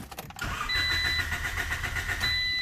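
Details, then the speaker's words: Honda Civic after replacing the apparently original fuel filter: starter whirs with a steady high whine and labored rhythm for a couple of seconds without catching; slow cranking. "it's taking a little while to crank"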